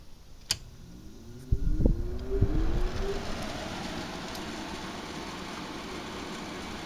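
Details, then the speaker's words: GE 5050 BTU window air conditioner made May 2018 (R410A, 9.17 oz), installed, fan on high: a click, then a hum rising in pitch as the fan spins up and settles into a smooth, steady airflow whoosh. The fan runs normally. "So let's start with high fan."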